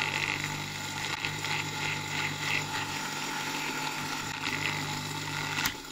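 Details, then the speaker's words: Dishwasher pump motor that would not run at full speed, run on the bench with capacitor connection tested: steady harsh roar and hiss because water got inside it, with a crackle from the bearing; motor roar from water ingress. "Le moteur rugit. Il y a de l'eau dedans. À cause de ça."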